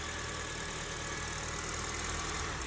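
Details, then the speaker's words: Honda with code P0507 (idle higher than expected): warm engine idles high and rough, RPM hunting up and down with air hiss. The fast idle air valve stays open at 185-190°F, and disconnecting it smooths the idle. "the car is rough idle let me show you the RPM RPM is going up and down"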